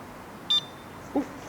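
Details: A Coopop electric scooter's alarm disarms with one short high beep, then a quick lower chirp about half a second later, over a quiet background.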